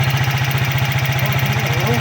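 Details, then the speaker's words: 2013 Keeway RKV 200 single-cylinder motorcycle idling with an even thump of about fifteen beats a second, steady with no misses or rattles, after the hard-starting electric start fault was repaired; it now starts instantly. "Ya ven cómo prende de toque."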